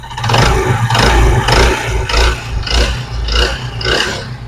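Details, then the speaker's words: Honda CD 70 motorcycle engine: rough clattering knock about twice a second, hammering harder on throttle blips; found on teardown to be the worn connecting rod. "ये देखिए दोस्तों, ये मैं अगर आपको दिखाऊं तो ये देख रहे हैं कितनी बुरी आवाज़ आ रही है, इसी चीज़ की आवाज़ थी।"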